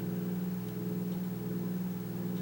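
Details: Kaz V3100 evaporative humidifier at low fan speed: steady low hum with a faint rough growl underneath; one fan mounting post was broken, causing the rumble.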